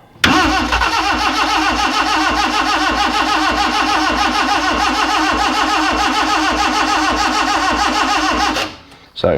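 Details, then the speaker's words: Freshly rebuilt Morris Minor, first start attempt, cold, choke on, no oil pressure yet: starter spins with a steady even chug about eight seconds but never fires; crank no start, suspected fueling issue, carb mixture screws to be readjusted. "definitely a fueling issue so what I'm going to do is just readjust the bottom of the carbies"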